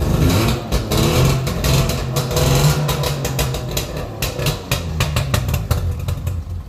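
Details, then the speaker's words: Small two-stroke engine started with choke and no muffler or exhaust fitted: loud open uneven crackle, smoky, firing irregularly and staggering, not holding idle; sounds better than before. "Oh, it's not going to run. It's smoky, but it sounds a lot better."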